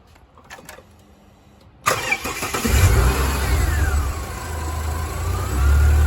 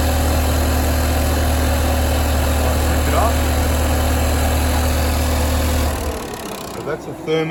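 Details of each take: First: Ford XR6 Turbo, owner reporting a noise; quick crank, fires and settles to steady even idle, no knock or rattle, A/C compressor cutting in is normal; noise later suspected to come from thermo fan: normal start and idle. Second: Ford XR6 Turbo at idle: steady hum with a faint whirring that keeps spinning after shutdown; suspected noisy bearing, possibly the fan's electric motor, but it is then heard to be the turbo still spinning, not confirmed.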